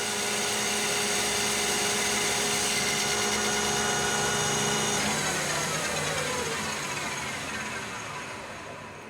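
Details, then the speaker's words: Lathe cutting annealed 4140 steel, longitudinal cut at 0.025 depth and low feed, spindle raised to 1120 RPM: steady whirring cut with a faint ringing that fades; chatter much reduced versus low speed but not gone. "okay so now we're going to a high RPM back to the 1120 RP M same 25,000 depth of cut and you can hear and see it's better already"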